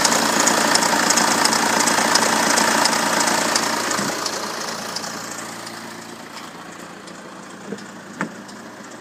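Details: BMW N47 177 BHP diesel at 127,000 km idling with a fast metallic rattle over the clatter, a worn timing chain slapping its guides; owner awaiting timing chain replacement. Finding: timing chain rattle.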